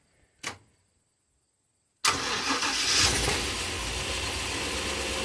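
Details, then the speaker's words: Old short bus, sat for years, after swapping in a better used battery; one faint click then engine fires immediately and holds steady even idle: normal start. "Uh, I'll put a new battery in it. Not a new battery. A junk battery that's less junk."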